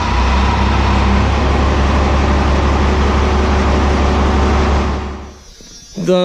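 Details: 12-valve Cummins diesel truck, just fitted with 5x0.016 Haley Speed Innovations injectors: a deep, steady rumble at an even speed for about five seconds before cutting off. The engine runs cleanly, though the first injector's return line is leaking fuel.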